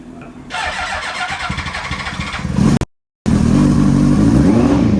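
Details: Yamaha R1, carbureted, off road about 5 years, running on starting fluid: fires and runs unevenly with lumpy surging beat, drops out then picks back up; owner suspects ignition issue, carbs leaking and need rebuild. Rough running.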